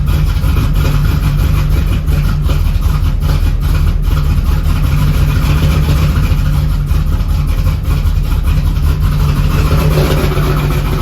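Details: Supercharged Z28, first fire after engine reassembly: deep, heavy idle with a slightly uneven, loping beat and no knock. Rough idle; it still needs carb tuning and a timing adjustment.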